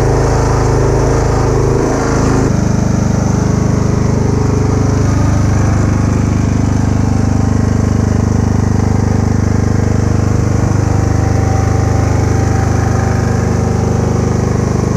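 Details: Kubota A3500 generator, about 10 hours use, spark plug replaced, uses some oil: even, steady low drone at constant speed, no misses, surging or knocks; normal steady running.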